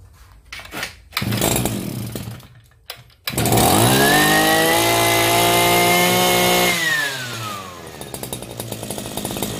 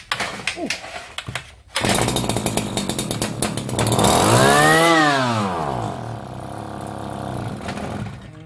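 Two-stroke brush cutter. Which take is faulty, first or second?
second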